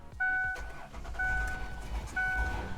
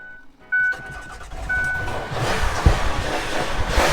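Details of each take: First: Van unstarted and sitting for over a year with an old battery, force-started entirely off an AVAPOW A68 jump starter box: box beeps three times, engine cranks and fires into a steady idle; normal start. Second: Van just jump-started after sitting unrun for over a year, owner constantly giving it gas to keep it running: engine revs unevenly and surges with throttle held open; rough running after long storage, cause not confirmed.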